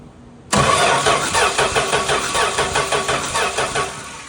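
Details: Mopar Slant 6 225 engine after new starter solenoid, ballast resistor, used coil, cleaned points, cap and rotor, late spark: steady starter churning about three beats a second for four seconds without firing; cranks but doesn't start.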